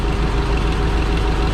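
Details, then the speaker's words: Yale GLP060VX forklift, PSI 2.4L running on CNG, with a rough running complaint. The idle is lumpy and uneven and unchanged when the cylinder 1 coil is unplugged, showing that cylinder is already dead. "number one nothing number two oh see how here so now it's only running on three cylinders because number one's out obviously so you're really gonna get that's why we're getting that big dip when we pull that off"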